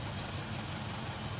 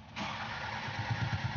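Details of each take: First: Isuzu 4HK1 truck (Reward), formerly no-start with DTC P0651 flash code 56, idling after ECM relay replacement (relay supplies injector power): low steady diesel idle, even unhurried beat, no knocks, misses or hunting. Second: Isuzu 4HK1 diesel truck with check engine light, DTC P0651 flash code 56, ECM relay suspected: starter turns engine over with even compression pulses about seven per second but it never fires; crank no start.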